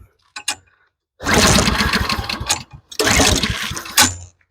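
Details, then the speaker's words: Toro Commercial mower 22155 with Honda GSV190 engine, serviced, choke on: fires on first pull, quiet even run, stops, then catches again right away; starts and runs fine. "Okay, choke on. Starts up right away. That's a good sign. It's quiet."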